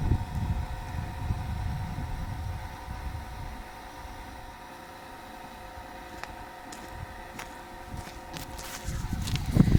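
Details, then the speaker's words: Oil extraction pump during a DIY engine oil change: a steady hum with slurping that grows louder toward the end as less oil remains and the pump draws air, meaning the sump is nearly empty. "Alors là, vers la fin, le bruit augmente. Au début, le bruit il est beaucoup plus, le bruit de la pompe est beaucoup plus bas."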